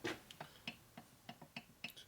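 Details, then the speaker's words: Rocker arm on a 1973 Harley 93ci stroker with standard panheads, rocked by hand: sharp, light irregular clicks, about eight in two seconds, from too much rocker shaft clearance. "clicking noise it starts getting down are there any pros to having more clearance other than that noise right there"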